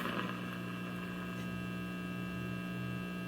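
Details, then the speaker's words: RCA 66X1 tube radio after capacitor replacement, brought up on variable mains at about 95–115 V: a steady low hum with a faint buzz and no station audio. The mains hum's cause is not yet found. "sure what the deal is I got a hum though going back down to 95."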